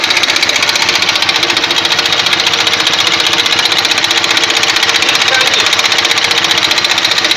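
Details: Ural motorcycle engine running with a sharp metallic tapping about four per second. Owner thinks by ear it is in the camshaft, unconfirmed.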